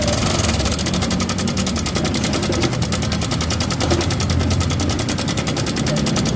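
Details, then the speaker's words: Honda Vario 125 scooter engine idling: loud fast metallic ticking rattle over the low hum, not revved hard to avoid more damage; cam chain area checked first. "Oke, ini motor Honda Vario 125. Kedengaran suaranya jelas berisik."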